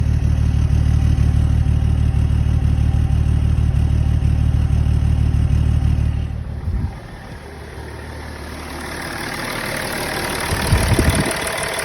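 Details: Car engine idling with an uneven loping beat, about three stumbles a second, then cutting out; the misfire happens when the MAF sensor is plugged in; cause not confirmed.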